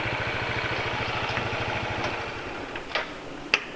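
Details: Motorcycle idling on fresh Ravenol TSi oil, changed because engine noise was growing (attributed to piston-cylinder friction, feared fuel dilution): steady, even putter with a light top-end tick and no harsh rattle. Smooth and healthy.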